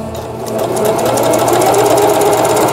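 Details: Singer Stylist 7258 110V sewing machine, after repair of feed regulation cam crank and reverse button: fast, even needle chatter building to steady rapid ticking, no knocks or skips; normal sewing.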